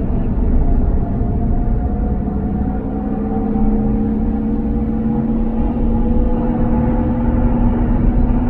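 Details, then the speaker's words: 2007 Toyota 4Runner V8 cruising at highway speed: steady rumble with a clear mid-pitched whine on top that drifts slightly with speed and then comes down; source not identified. "you hear the whine? Now it's coming down."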